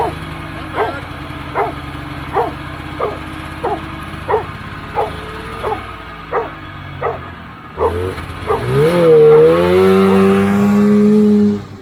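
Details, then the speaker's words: 1980 Polaris TX340 snowmobile after blown head gasket repair: slow rhythmic cold-start cranking pulses about ninety a minute, then catches and revs to a clean, steady buzz; normal cold start. "uh we're gonna do a cold start on it and uh maybe try to drive it around this is the first time i've had an opportunity to drive it in the daylight"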